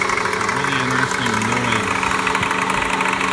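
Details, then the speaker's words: 1999 Toyota Corolla 1.8 at idle: a loose, uneven knock that doesn't get louder with revs and almost goes away, and stops when the steering wheel is turned. Confirmed as the power steering pulley, not the engine. "sounds like a knock. But it's not a knock because it doesn't really get louder when the engine's revved. In fact, it almost goes away. What I've noticed is when the wheel is turned, it stops."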